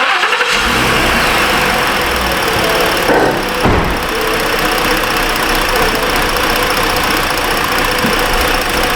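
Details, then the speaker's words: 2018 Ford Explorer with a "service charging system" warning after several alternators were replaced; it cranks and catches with a brief stumble, then settles into a busy, slightly uneven idle while reading 13.14 V and not charging; rough start, cause not yet known. "Huh, kind of rough there."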